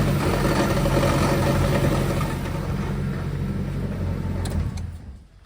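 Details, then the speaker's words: 2006 Chevy Silverado V8 with a newly installed used engine idling with a heavy, regular low knock; flexplate bolts likely never torqued to spec during the rushed install (torque converter bolts also suspected). Loose flexplate bolts knocking. "I'm hoping it's either torque converter bolts or the flex plate bolts because when I put the new motor in the new to me motor the uh I don't remember I was rushing through it so much I may have forgot to torque down the flex plate bolts"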